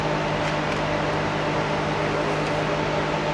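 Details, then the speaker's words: First-gen Cummins truck with newly installed Derale electric cooling fans, cold start, tested: strong steady rushing airflow with constant low hum, no rattle, scrape or wobble; fans running healthy with strong suction. "They're freaking ripping away. I'm sure you guys can hear that. See what kind of sucky shun we got. Look at that. That'll keep her freaking cool, boys."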